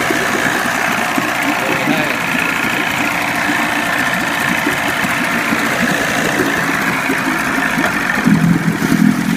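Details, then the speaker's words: 25 hp Johnson tiller outboard on a Fisher 1448 jon boat, cold start after about four weeks unrun, starter just rebuilt, electric start on choke: steady, even two-stroke buzz with constant pitch and no misses or stumbles; normal idle. "I'm going to let you listen to it run again it hasn't been cranked in about four weeks it's electric start so pull out the choke"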